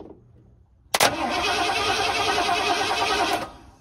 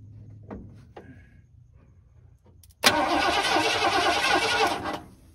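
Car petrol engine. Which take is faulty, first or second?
first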